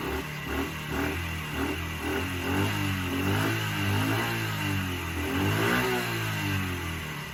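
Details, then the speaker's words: Small motorcycle that would not start on old fuel, after refilling with fresh fuel and kicking old fuel through the carb: picks up smoothly through throttle blips and settles without stumbling; runs healthy once old fuel replaced. "so there you go man sometimes um starting a bike is as easy as just changing the fuel"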